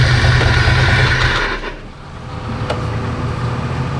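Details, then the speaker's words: Jeep after an engine swap that won't start: starter grinds at about three beats a second under a heavy low rumble with an odd extra noise mixed in while cranking; engine never catches. "What in the world is that noise?"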